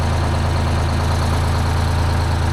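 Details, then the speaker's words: 1975 Peterbilt 359, Detroit 12V71 V12 two-stroke diesel, right bank previously cold and not firing; freezing outside, exhaust all still cold: steady even smooth low idle drone, no misses or knocks; much better, normal idle. "that seems much better they're all pretty cold but it's freezing out so I'm not uh not overly concerned about that"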